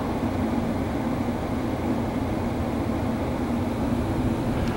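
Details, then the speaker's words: Hybrid propane furnace/heat pump back in stage one heat: after supply air cools to 90°F, heat pump restarts and blower ramps up as Y energizes; steady even blower rush and low hum, no knocks, rattles or squeals; normal. "there's the heat pump and now you can hear the fan ramping up because the Y energized to the heat pump and to the furnace control board"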